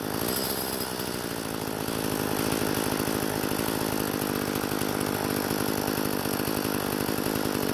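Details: Craftsman two-stroke string trimmer after replacing broken fuel lines: a steady, high, even buzz with no stumbling or surging. It runs clean and healthy; only the idle speed may need adjusting after a restart once cooled.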